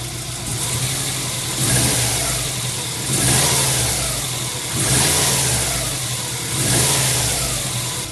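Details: 1999 Subaru WRX GF8, EJ205 turbo flat-four, near operating temperature after a coolant flush, header tank open: warm idle with three or four quick throttle blips, each rising and falling cleanly, done to purge air bubbles; healthy throttle blips.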